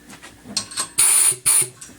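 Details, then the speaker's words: Locomotive-style air horn after modification to quiet it from 127 dB, with the back cap refitted and the nut loosened: short sputtering bursts and brief hisses instead of a clean blast. Misfire because the nozzle is set too loose; fix is to move the nut over. "all right what if that happens it means you have it too loose"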